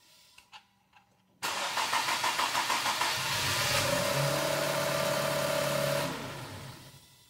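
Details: Infiniti Q50 with P0335 crankshaft sensor circuit code after a third engine was installed, scope tapped into the sensor signal line: starter cranks steadily at about three beats a second for over four seconds but the engine never catches. Crank, no-start.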